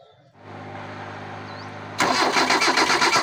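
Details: 1997 Kia engine, not started for six months, cranking in a steady rhythm of about four beats a second but never firing; no ignition power on one supply wire.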